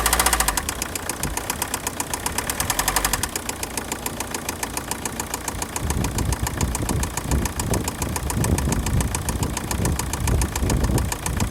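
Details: Opel 1.7 CDTI diesel (Z17DTL) at idle: steady rapid ticking knock over the idle, unchanged rhythm; engine knock, cause unknown.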